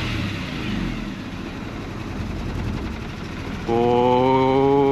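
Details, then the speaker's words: Mercedes W124 220CE: uneven, lumpy idle that sags and nearly stalls off throttle, steadying with revs; rough running, cause uncertain, wiring harness suspected. "no no don't die it sounds rough if i take my foot off the throttle now"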